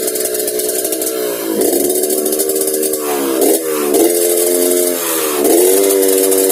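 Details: Yamaha RX King two-stroke blipped repeatedly, pitch swinging up and down with a rough snoring rasp on the buzzy note; snoring noise when revving, carburetor noted slightly wet, cause unclear.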